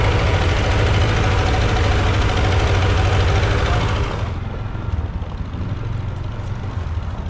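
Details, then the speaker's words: Massey Harris 30 tractor after the oil was burned out of its cylinders: steady even low beat with no misses, settling quieter midway; running well, though the fuel sediment bowl is leaking gas. "running pretty good right now. Just outside of that sediment bowl leaking not really bad. We cleared up all that oil. It isn't missing at all. Good sign."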